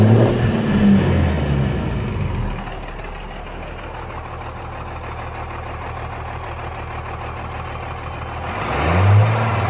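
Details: Cummins 12-valve diesel, rebuilt about 100k ago, injection pump about 20k ago: a loping, irregular beat that stumbles as it revs and settles back. Misfire that worsens after driving or revving until it dies; cause not found.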